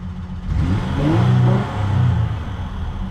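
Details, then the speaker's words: Normal revving of a truck with 231,299 miles whose engine had been seized and sat over a year. It now shows good oil pressure and charging, with smoke burning off. It climbs smoothly through blips with no knocks or tapping and sounds healthy. "everything's burning off you can see the smoke coming off of everything it's got 231 299 miles when i bought it oh my goodness does that sound healthy"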